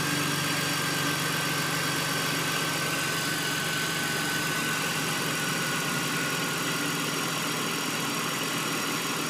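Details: 2002 BMW 330Ci: steady idle with a thin whistle and faintly uneven pulse underneath; strange idle noise, cause unclear.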